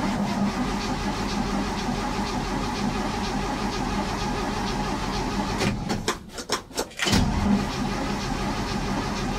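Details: Barn-find 1967 Chevy C10 engine, choked, weak battery: starter grinds the engine over steadily with a pause but it never fires; cranking no-start, carburetor float bowl likely empty of fuel.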